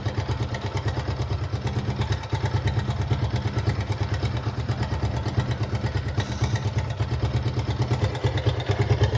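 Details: Gixxer 155 single-cylinder engine at idle: a fast light chattering rattle rides over it. A loose timing chain is suspected, not confirmed.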